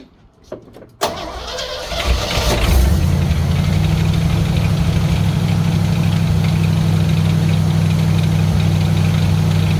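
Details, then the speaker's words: 1964 Chevrolet Suburban after running heavy-gauge wire from key switch bypassing GM wiring: cranks briefly, catches after a second, settles into steady even low rumble with no misses or knocks; starts and idles normally. "Let's give this thing a squirt and see if it'll come to life."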